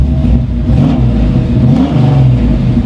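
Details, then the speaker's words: 1994 Chevy C1500 with 383 V8, 700R4 transmission, warm with cooling fans running: deep, even rumble revving smoothly, no knocks, misses or rattles; healthy. "God it just sounds so damn good"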